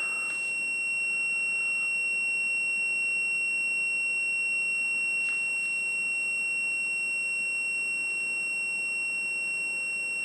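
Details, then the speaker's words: Whirlpool/Smeg ELTH 261N freezer frost stat bimetal switch tested on orange and white wires after about half an hour in the freezer and being warmed by hand: one unbroken high continuity beep, contacts still closed as normal when frozen, due to open near −3 to +3 °C. "when the uh temperature gets to about minus 3 I believe it's Plus or - 3° uh the switch will open which you hear when the buzzing stops"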